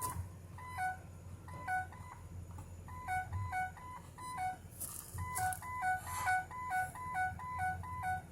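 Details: 2007 Ford E350 Econoline XLT passenger van with an AdvanceTrac with RSC fault. A short three-note descending chime repeats about once a second over a quiet idle: the stability control warning.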